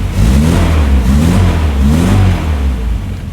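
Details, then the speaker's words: 1967 Morgan Plus 4 that had not run in years, started after oil was shot into the cylinders: deep, even exhaust note climbs and drops cleanly with throttle blips, idle falling from about 1,200 to 800 rpm, rocking slightly. Normal revving. "1,200 yeah 1,000 like 900 800 rocks a little bit"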